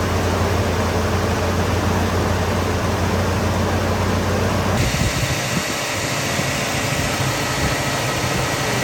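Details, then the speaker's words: Ford Bullnose 460 V8 A/C converted from R12 to R134a, pressure switch adjusted to engage at 42 psi and cut out at 25: engine running with steady fan and low hum, then tone shifts halfway as compressor clutch engages and stays in; works normally. "Okay, so I'm gonna fire it up. Show you that the clutch works."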